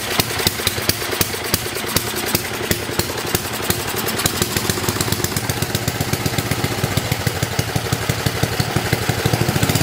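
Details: 1972 John Deere 56 mower with a swapped-in engine, started on ether with choke after carburetor work. Steady, even idle with crisp regular firing pulses and no misses or knocks; the best it has idled in a while.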